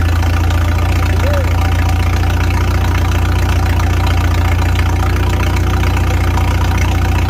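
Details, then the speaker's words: 1955 Farmall 300 row-crop tractor with straight pipe, first run after sitting 14 years; governor throttle shaft refitted after causing high revs; steady, even low idle with smooth beat, no knocks or misses; normal idle. "the governor the throttle shaft they were off they weren't in I thought I had it in I guess I didn't have it in it was causing the high rep so I think I got it in that time so let's find out"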